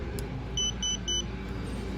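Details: Three short, even high-pitched beeps over a low room hum: an older two-button leak block sensor's normal reset signal after a battery change, switched off and back on.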